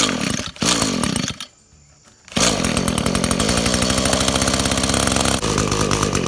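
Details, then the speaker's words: Echo SRM225-family two-stroke string trimmer, about 10 years old, carburetor already cleaned: starts but buzzes unevenly, nearly dies, then runs ragged; carburetor fault causing stalling, to be replaced. "Now it starts fine, but it's hard to keep it running."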